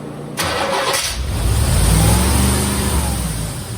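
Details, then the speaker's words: 1987 C4 Corvette, under 86,000 miles, sat for years, with new injectors. It fires and holds a loud, fast idle that won't drop, smells rich and smoky, oil pressure present: high idle, owner suspects a vacuum leak. "Alright, that's revving way too high. Probably vacuum leak. It's running rich. I can smell that."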